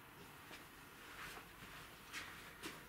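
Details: Peugeot Speedfight 2 50cc scooter that wouldn't start, relay tested during wiring repair: faint sharp single clicks every second or so; starter relay clicking normally, fault found in cut, poorly grounded wires.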